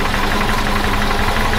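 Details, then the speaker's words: 1976 BMW 2002 just restored, warming up at idle after sitting a month. Light, regular tick over a steady idle, heard near the bell housing rather than the engine. Owner suspects an overlong or loose bell housing bolt contacting something. Cause unconfirmed. "But now you heard that knocking. You can hear that knocking right back here. It's not on the motor side on right there on the in the uh"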